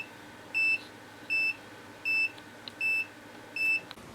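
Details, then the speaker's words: Bubble Magus T11 dosing pump starting then stopping with short high alarm beeps because one motor is binding and failing; fixed by replacing all three motors and lubricating the peristaltic tubing. "so that pump would start to go and then all of a sudden it would stop and then you can hear the beeping noise well that that motor is on its way out it's binding up"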